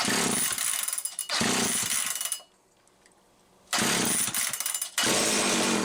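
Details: Homelite 360 chainsaw on the bench, wouldn't run consistently, misaligned carburetor bushing, fuel spurting out the top: screams in short bursts, cuts out and picks up again; fuel starvation causing surging and stalling.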